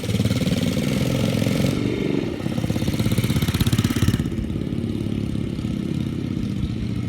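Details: 2005 United Motors DTF150 dirt bike after its first rebuild in 13 years (intake pushrod recovered, engine reassembled), first start and ride in gear: crisp single-cylinder putter picking up cleanly on throttle, no knocks or misses; normal running.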